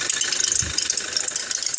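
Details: 2017 Toyota Hilux at idle: fast uneven high metallic crickling rattle, worse with load (AC, drive, reverse, steering), persisting with AC off; belt tensioner and idler pulley replaced without fix, gone with alternator disconnected; cause was the alternator pulley.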